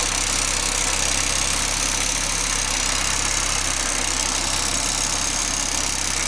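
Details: Audi 20v turbo idling: quick, sharp ticking three to four times a second over a hissy top end, from the exhaust area; turbo already removed and overhauled and not the cause, source unknown.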